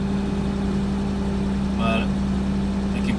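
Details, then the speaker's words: 1989 Toyota Land Cruiser FJ62, 3FE engine after desmog/EGR delete, back from a test drive: steady even hum idling noticeably high; owner expects the computer to relearn and settle, otherwise suspects another unknown issue. "So, it should settle down. Um, but if it stays this high, there's there's maybe some other kind of issue that I don't know about cuz I'm usually at around 11,200."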